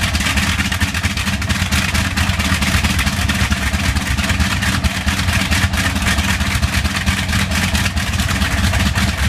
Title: Bristol Hercules engine slight misfire